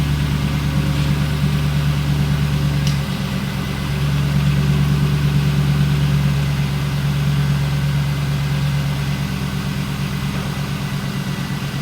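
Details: 1999 Pontiac Trans Am Ram Air WS6 with an LS V8, started after headlight motor repairs and maintenance. It has a deep, steady idle with an even low burble and no knocks or ticks; it sounds healthy.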